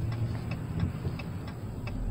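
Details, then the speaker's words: Driving in Central Texas on a 64-degree day; light regular ticking about three a second over low road and engine rumble; owner ruled out the holder and suspects something in the dash; interior rattle, source unconfirmed. "But yeah, I know it's irritating, that clicking noise or whatever it is, because it just dominates the whole video. No, it's not the holder either. It's something in the dash, I think."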